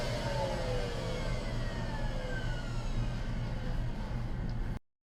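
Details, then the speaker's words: MD Silent Master central vacuum after 6mm sound deadening installed, studio microphone: steady low hum with faint whine sliding down in pitch; not much quieter but lower tone, running normally. "i don't think it's really that much quieter i will say the tone changed it's a lower tone"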